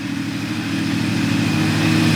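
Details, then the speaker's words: 1997 Honda Valkyrie six-cylinder, first run in 10 years, being revved. A smooth, even hum that climbs slightly with revs, with no knocks, ticks or misfires; it runs very happily despite toxic smoke burning off. "But, I mean, this thing sounds like it runs very happily. [Music] Very, very happily."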